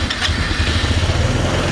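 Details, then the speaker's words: Chinese scooter first started after sitting 9 years, fresh fuel; low, lumpy putter barely keeping running; idle set too low, carburetor believed to need replacing; low rough idle. "let's just let it idle for a minute see what it does all right so i need to maybe turn up the idle a little"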